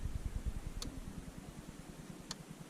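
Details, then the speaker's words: Range Rover L322 4.4 V8 petrol, fuel pump commanded on via diagnostic component activation: relay clicks, then rough uneven low thudding instead of a smooth hum; pump doesn't sound good, suspected failing. "I can actually hear the fuel come running I'm gonna to see if we can go in essence the fuel pumps it doesn't actually sound all that good"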